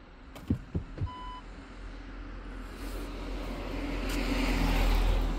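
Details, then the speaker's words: 2007 Audi A4 B7 Avant with the ignition on, after contact spray on the parking sensor: a continuous parking-sensor beep still sounds, then the engine runs. "mai avem pipăitul acela Nu pot să cred Nu pot să cred"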